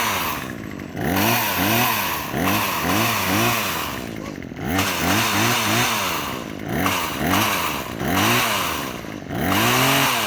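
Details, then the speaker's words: Craftsman WS2400 two-stroke pole saw after repair (old gas dumped, fresh fuel, slight carburetor adjustment, leaking fuel lines replaced): revs blip up and drop back cleanly, running steady and much smoother than before; healthy. "well from what I can tell and hear the pole saw seemed to run much more smoother now than before"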